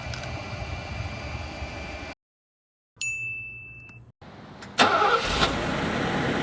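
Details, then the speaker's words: Mercedes-Benz R107 classic running after an exhaust leak repair with a new ANSA center muffler and JD Weld: the engine catches and settles into a steady, even run with no puffing or ticking, leak free. "and listen to that the car is running great and leak free"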